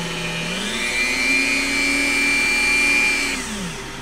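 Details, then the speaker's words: Repaired 800 W Coleman Powermate inverter with new switch running a Dremel tool: tool spins up to a steady high whine, holds even pitch, winds down cleanly; works, though power LEDs stay off and dirty fan bearings are suspected. "good deal I would call that a well at least a partially repaired inverter I don't know why the LEDs don't come on to tell me it's powered up but everything seems to work so far"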